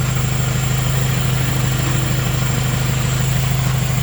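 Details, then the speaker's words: F23A-swapped classic Honda, running again after a no-start fixed by replacing the main relay, and topped up with 10W-40 high-mileage oil. Steady, even low idle hum with a smooth pulse and no misses or knocks. Normal idle. "is running and honestly aside from that little oil leak we were having and that main relay going out I mean this thing is a freaking champ boys it is a freaking champ"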